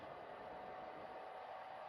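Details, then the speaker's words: Secondhand PS4 Pro rebooting during a system software update: constant rushing fan noise with a faint steady whine and no speed change, way too loud; the dust-clogged heat sink cannot cool efficiently anymore. "uh this thing is way too loud it cannot cool efficiently anymore and obviously that's something you don't want"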